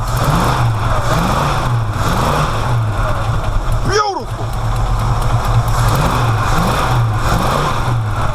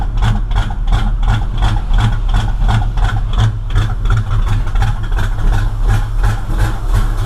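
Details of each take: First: V8 that was running rich and smoking, timing suspected about 180 degrees off, now holding a steady, deep idle with an even beat and no pops or backfires. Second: V8 running rich and smoking heavily, idling rough and deep with sharp popping backfires about three times a second out the tailpipes; owner thinks ignition timing is off 180 degrees.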